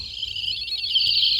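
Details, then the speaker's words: Sonic Flasher toy ambulance after repair attempt: only a thin, high, wavering chirp instead of a full siren wail; sound circuit weak and distorted, resoldering the whole board considered, cause not confirmed. "that is that is pathetic let's um try again oh no never listen to that that's the sound of disappointment that's the sound of baby birds dying in their nests"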